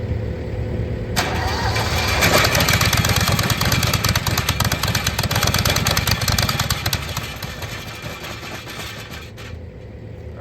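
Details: Giant towable leaf vacuum, model 1901CE, with a 20.5 hp Kohler engine and loose, rotted exhaust: the engine cranks, then catches with an uneven, loose running beat near three per second that fades back; it runs but is hard starting.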